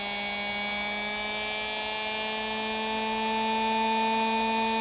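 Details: Singer Model 221 Featherweight sewing machine motor after rebuild with new brushes and greased wick tubes, run on old pedal: steady, clean electric hum rising slightly in pitch with speed, no rubbing or rattle; spins freely and evenly.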